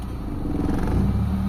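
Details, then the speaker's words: Mitsubishi Lancer GLXi 4G92 manual, idle set to 900 rpm after the idle servo was cleaned, AC switched on: the engine hum dips as the compressor engages, then recovers and holds steady near 1000 rpm with no hunting; normal idle. "Ayan nagi-steady siya sa 1000. So ayan mga bossing. Normal idle na tayo. Hindi na siya humihinga mga boss. Steady na siya."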